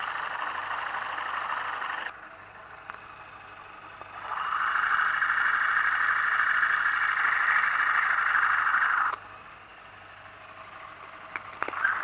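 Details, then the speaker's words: New motorcycle engine heard amplified through a screwdriver or stethoscope against the engine: mid-pitched whirr with light, steady ticking about three per second; normal internal engine noise, not a fault. "no motor eu vou funcionar logo o motor primeiro aqui para você ver que ele está em perfeito funcionamento esse motor não tem barulho nenhum não tem barulho"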